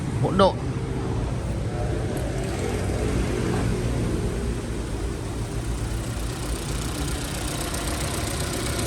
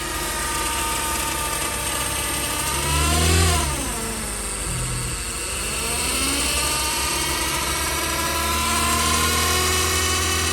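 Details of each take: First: Chevrolet Cruze 1.8 automatic gearbox at idle after repair for whining, broken pieces found inside; even, low idle rumble with no whine; normal automatic transmission at idle. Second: Chevrolet Cruze 1.8 automatic transmission making a loud, jet-like whine whose pitch rises and falls with engine speed, pointing to internal transmission damage. The gearbox was found oil-wet with a suspected torn seal, though the oil level was still full.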